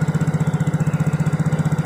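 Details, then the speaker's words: Yamaha Mio J single-cylinder scooter idling with a steady even beat and no knock, after the klotok knocking noise was fixed. The knock was caused by a loose, under-tightened spark plug; the engine now runs normally. "dan suara Cloud roknya sudah hilang guys ini mesin sudah kembali normal adem jadi penyakitnya ini gara-gara businya kendor kurang kencang ya"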